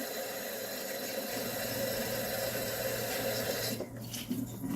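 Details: Kitchen garbage disposal after a DIY fix, having earlier knocked from a loose piece: even low hum under running water with no grinding, knocking or jamming; spinning freely and healthy.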